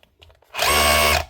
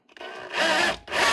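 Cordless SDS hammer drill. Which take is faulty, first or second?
second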